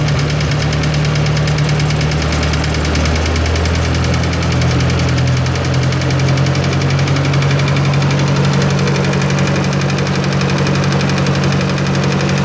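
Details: 1954 Ford NAA tractor, original six-volt positive-ground system, idling after sitting unused a while: uneven light tick about twice a second that rises and falls with rpm; owner suspects a lifter tick, unconfirmed.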